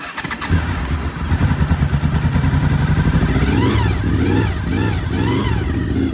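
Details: Honda VFR800 5th gen V4, first start after 8 years of storage, fuel pump refitted and tank leak fixed: starter churns briefly, then catches into a steady, slightly lumpy idle with light blips; runs, water suspected coming from the exhaust.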